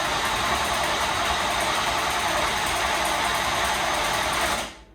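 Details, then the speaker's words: 1989 Chevy Camaro IROC-Z, 305 TPI LB9 V8, long-sitting non-running project car, starter just reinstalled; steady fast cranking at about three and a half turns a second, no firing; cranks but no start, fuel pump suspected. "all right let's start to cool down but she cranks but does not start"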